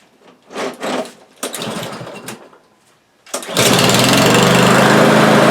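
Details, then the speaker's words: Cub Cadet single-cylinder lawn mower that started then stalled, after carburetor cleaning (passages and main-jet emulsion tube): after a few pulls it catches and runs steady, even and high-pitched with no surging; normal running. "well that's the way it's supposed to sound well there you go"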